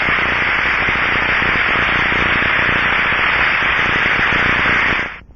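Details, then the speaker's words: Bearing heard through an Ultraprobe 2000 ultrasound detector: steady, smooth, even rushing hiss with no crackle or roughness; a good bearing, whereas crackling would indicate failure and loud rough rushing a lack of lubrication. "for example this is the rushing sound of a good bearing is heard through the ultr probe's"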